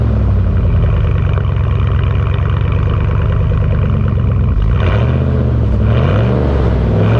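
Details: 2001 Dodge Dakota 4.7 L V8 after muffler delete (straight pipe in place of muffler, catalytic converter kept): loud deep rumble idling evenly with a couple of throttle blips. Normal idle with straight-pipe exhaust.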